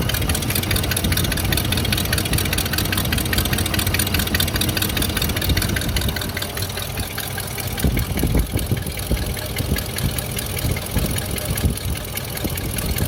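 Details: Abnormal engine noise on the left side: the engine idles, then is blipped, with an uneven knock riding over the run; the exact source is not pinned down and the cause is unconfirmed.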